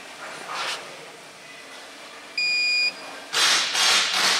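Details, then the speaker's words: Vulcan fine screen BAR-312 control panel during factory testing, with mains power manually killed: a single steady high-pitched beep shows the UPS has switched to battery. Common fail light is on and a drive fault is showing. "you can hear that beeping that's telling us that the UPS is working"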